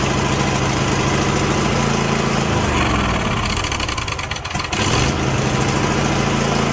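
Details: Craftsman T8200 Pro mower, 2016, 24 hp Kohler Elite KT735-3068, 46 hours, not run in a while: starts on carb cleaner sprayed into the intake, runs rough and stumbles; carburetor not feeding fuel.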